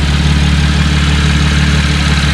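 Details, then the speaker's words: 2017 Camaro V6 2LT/RS idling after installing a Cold Air Inductions SS intake, still untuned: a steady, even, low rumble with no ticks, knocks or hiss and no check-engine light. Sounds healthy. "so far no issues i don't hear anything weird"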